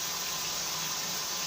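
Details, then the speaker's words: Turkish combi boiler, 11–12 size, after fixing hot water fault with oxidation found, burner lights for hot water with steady hiss and soft roar, no pops; normal firing, temperature rising. "Evet şu an sıcak suda ateşledi sembolü derecede yukarı çıkıyor yani evet olmuş"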